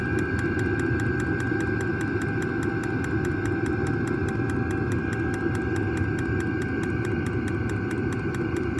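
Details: New diesel heater just installed in a Jayco Freedom caravan, running normally after switch-on: even, steady combustion roar with a quick, regular fuel-pump tick over it as it pumps fuel.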